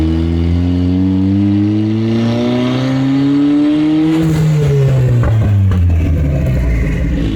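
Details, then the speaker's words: Turbocharged Bugatti Veyron replica, second-gear full-throttle pull, hot, smelling of oil with smoke: engine pulls then breaks into ragged popping and stumbling, no power, wastegate and turbo noise; misfire under full throttle. "Under full throttle, you don't have power. There's some misfire and a lot of noise."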